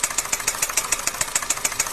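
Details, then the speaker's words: Engine piston slap knock: sharp metallic ticking knocks about seven per second over a light engine hum from inside the engine. "这个是发动机敲缸"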